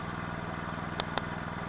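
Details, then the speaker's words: Honda GX120-powered water pump after cleanup, test-run because the owner says it runs briefly then stops: a steady, even single-cylinder drone with only a couple of light ticks; it keeps running smoothly without dying. "now what I'm going to do is I'm going to let this go for a couple minutes he was saying it would run for a little bit and then stop so we're just going to keep running it"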